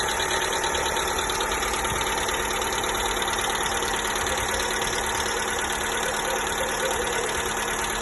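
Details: 1.4 MPI engine (Polo/Ibiza/Fabia) on cold start: light, fairly regular tick about three times a second over the idle hum, lasting up to 5 minutes then fading. It began after a service; oil changes and new hydraulic lifters and rockers did not cure it.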